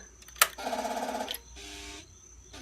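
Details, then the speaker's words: 2003 Kawasaki ZX6R 636, 15,000 miles, won't crank, battery 12.15 V, fuses fine: key-on click, then a short even electric buzz that stops cleanly as the fuel pump primes normally; the start button only gives a clicking noise. "that's fine can hear the fuel pump run fine but when I click the start button just get a clicking noise"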